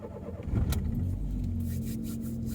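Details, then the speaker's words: 1993 Mk1 Ford Mondeo, first test drive after accident write-off: brief crank, catches first time within half a second and settles to steady, smooth idle; healthy start. "Starts first time, sounds pretty sweet."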